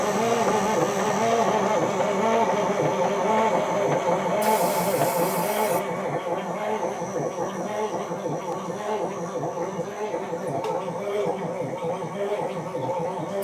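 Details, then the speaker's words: Parts-donor semi truck diesel, not very cold weather: the starter churns slowly and laboriously at under two turns per second with a low clunking, never firing or catching. Slow cranking, no start. "Won't even try to fire on either. It's kind of cranking a little slow though. It's not that cold out. I would think it would at least bark a little."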